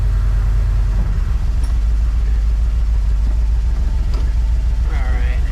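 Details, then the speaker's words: 1973 Dodge W200 truck, reportedly new carbureted 360 V8, after new gas tank fitted; idle possibly a little low; deep even rumble about three beats a second, no knocks or misses; normal idle. "a little lower on the idle probably but in fact they're fired right up after putting that gas tank in that's"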